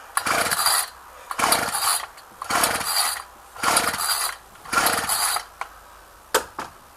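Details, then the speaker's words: Ryobi string trimmer, unrun two weeks, cold 8-9 degree day: rasping pull-starts about once a second, catching briefly but not running; hard starting, only runs when primed heavily, fixed by carburetor adjustment. "It's normally pretty hard starting, as some of the older Ryobis are. Starter don't sound too healthy."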